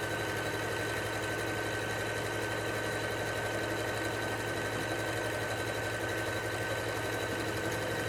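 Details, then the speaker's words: Singer SE9185 sewing and embroidery machine sewing automatic buttonhole number 1: a fast, even stitching whir with a steady motor tone and no snags or knocks. The machine then cuts the thread automatically. It sews normally. "E ela automaticamente já corta aqui a linha e veja só como que ficou a nossa casinha de botão, bem bonita."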